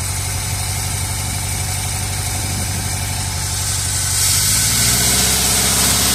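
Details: 1978 Chevrolet Custom Deluxe truck sat 21 years, just started, run briefly with no coolant: even steady idle with smooth low beat, slight speed lift near end; normal quiet idle, though accelerator pump seal leaks fuel.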